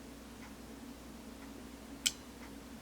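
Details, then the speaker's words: Marantz 2500 vintage stereo receiver on a dim bulb tester, power amp section disconnected from its regulated supply: a crisp soft-start and speaker relay click at switch-on is the normal startup sequence, before the fan then runs on high. "When I heard those relays go, both the soft start relay and the speaker relay, I thought I was golden. Click, click, and then the fan runs on high."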